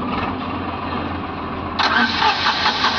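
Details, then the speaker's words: Tata Nano that sat unused for a long time, cranking with a test lead on the ignition coil: starter turns steadily but never catches; no current reaching the coil. "Customer की कंप्लेंट है कि गाड़ी यह स्टार्ट नहीं हो रही है"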